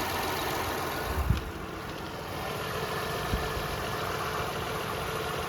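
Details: 2006 Toyota Highlander 3.3L after water pump replacement (was losing coolant): even steady idle with no knocks or misses, a couple of light handling clunks; no leaks, normal idle.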